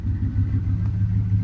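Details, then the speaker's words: 1995 Chevy Silverado 1500 extended cab flareside at auction; throttle blipped at standstill gives a deep, even V8 burble, steady low rumble with no knocks or misses; healthy free rev. "Let's give her a little rev. Whoa, she sounds good. She sounds good. Oh, yeah."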